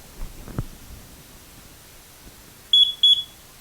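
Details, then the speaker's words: Carbon monoxide detector still beeping about every 30 seconds after a new battery: two quick shrill beeps warning to check whether the unit is past its 5–7 year life expectancy. "The beep is to warn you to check it to make sure it's not past its life expectancy."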